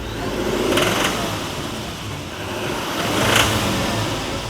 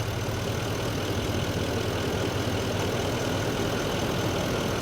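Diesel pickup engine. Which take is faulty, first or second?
first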